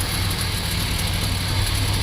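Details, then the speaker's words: 1972 Plymouth Fury 440 big-block V8 barn find, sitting for about a decade, newly revived: steady, deep idle with an even lope and no knocks or misses. Normal idle. "I can hardly believe it actually runs but it runs and it idles and it sounds [Music] [Applause] good"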